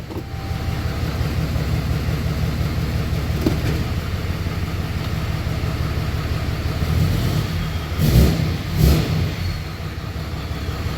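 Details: 6.7 Cummins hotshot truck, probably a 2017, checked for a slight miss in park/drive/reverse: steady, even diesel clatter at idle with no missing beats or knocks; all cylinders firing, engine runs smoothly.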